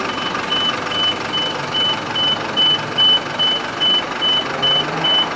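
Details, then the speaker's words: Hino Dutro turbo diesel flatbed car carrier with Unic bed: hydraulic system driven off the gearbox (PTO) runs the bed; evenly spaced high warning beeps, a little over two a second, over low hum while bed moves, normal operation. "so this is just the uh the hydraulic system which is connected to the gearbox to run the bed"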